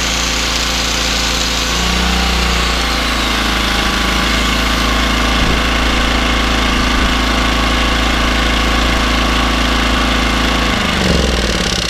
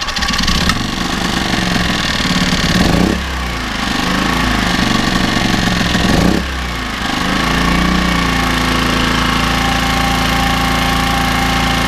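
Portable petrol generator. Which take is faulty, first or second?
first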